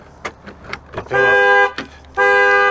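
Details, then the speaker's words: 2003 Land Rover Freelander, sat since November 2018, cold day around 36-37°F, weak battery: several short chirps then two long loud horn-like blasts; the alarm goes off when it shouldn't have while trying to start. "turn over all right well the alarm works but it shouldn't have gone off"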